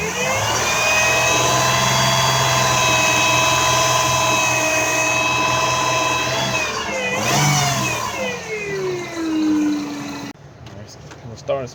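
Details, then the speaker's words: 2000 Lexus RX300 at idle: steady high-pitched whine that drops in pitch as the engine slows, from the alternator, whose windings are burned; a belt-off test is planned to confirm. "I got the 2000 rx 300 back this time just making a strange noise and it's coming from the alternator making like a frequency type noise"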